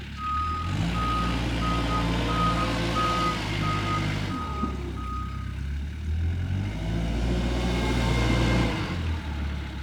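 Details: Kubota R520 hydrostatic wheel loader after work on the joystick wiring harness for a transmission stuck in low range: steady diesel drone under evenly paced reverse alarm, about four beeps a second; backs up smoothly, normal.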